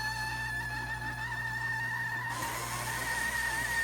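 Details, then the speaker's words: GEVI countertop ice maker making a steady high-pitched dry rubbing squeal over motor hum; owner first suspected the water pump, but the cause turned out to be something else, not yet confirmed. "well that's enough of that I'm going to turn that off and and talk over the the the video so you don't have to hear that squealing"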